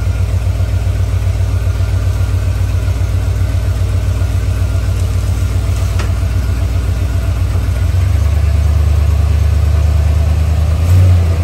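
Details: 1977 Chrysler Newport, 400 V8, cold start below freezing after about two months sitting: a deep, low idle stumbling two or three times a second, smoothing slightly later. Rough cold idle; the owner suspects plugs and wires, possibly the spark control computer.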